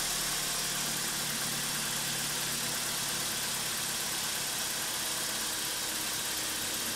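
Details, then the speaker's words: BMW E46 316ti N42 engine after timing chain, guide rail and front main seal replacement, running on a support bar without mounts: steady, even idle under heavy hiss, some shaking, no knocks or misses; normal idle. "so far so good guys as you can see I don't have the engine on mounts I still have it on this support bar so it is shaking a bit but otherwise and it works okay"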